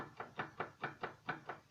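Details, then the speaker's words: VAZ rear axle: sharp, evenly spaced knocks about four or five a second; owner suspects play in the rear axle differential, needing the pinion nut tightened or the unit being worn out. "Это в заднем мосту планетарка. То есть люфт. Или гайку надо поджимать, или уже хана там."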